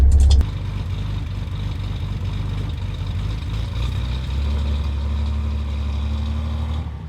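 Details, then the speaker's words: Datsun 240Z with freshly assembled engine, carburetors and electric fuel pump, on its first drive: smooth, even engine note rising gently as the car pulls away, no knocks or misses; engine running properly. "all right there you have it happy birthday JJ cars running good"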